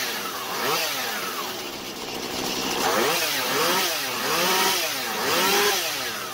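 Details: Husqvarna 440 chainsaw after carburetor repair, H screw set 2 turns out, idle being adjusted: engine revs repeatedly up and down, picking up crisply each time with no stumble or miss; running healthy.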